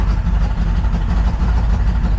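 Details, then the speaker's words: Vehicle with an unresolved ignition misfire, foot off the gas, low vacuum: low, lumpy idle that never settles, uneven beat with slight surging; running rough, owner suspects a misfire or timing fault. "She gets lumping. She's lumping. She's pumping, but she's smoothing out a little bit. She's running rough. Going real rough."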